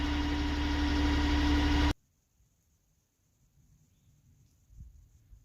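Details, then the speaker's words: Tractor back running after it ran dry and needed a long crank with the electric fuel pump priming; settles into a steady, even idle with a smooth low drone and no knocks before cutting off. Normal idle. "so she's back up running again and i'm happy because when my tractors hurt i'm hurt"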